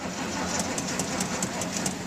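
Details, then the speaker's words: Old "Sally" with a dead battery, boosted from a charging truck while the gas is pumped: a sluggish, dragging crank of about five beats a second that never catches. Plenty of gas smell and fuel at the carburetor, but the battery is shot. "But it ain't wanting, that battery's dead."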